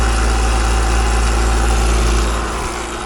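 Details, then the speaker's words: AC unit with a scroll compressor before refrigerant service. Loud, steady drone with fast chatter about four times a second. Suspected too much refrigerant returning to the unit or a scroll plate problem, not confirmed. "Now I'm just going to check, since it's so noisy and chattery, it just sounds like we're getting too much refrigerant back to the unit. So I'm going to check the refrigerant levels and see what we got. That just sounds like the scroll plate."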